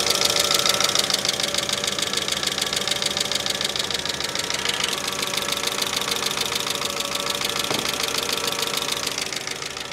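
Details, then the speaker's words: 2005 Mercedes ML350 (W163) near normal operating temperature during a head gasket test: fast, even top-end ticking, about three a second, over a thin idle; owner suspects lubrication issues, plus a valve cover gasket leak. "I think we have some lubrication issues thank you for that"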